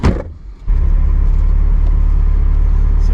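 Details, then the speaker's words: Ferrari 308 after specialist repair of a long-standing hit-or-miss starting fault: quick crank, engine catches cleanly and settles into steady even idle with no stumble or misfire; normal start. "want straight away it sounds better doesn't it stra it actually starts"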